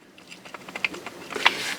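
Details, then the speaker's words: 2006 Polaris Sportsman 700 front drive shaft removed and rocked by hand: light, irregular metallic clicks, about five a second, from a worn, shaky U-joint with excess play that rattles when riding, before replacement. "it's kind of shaky it ain't super bad but the back one was broke"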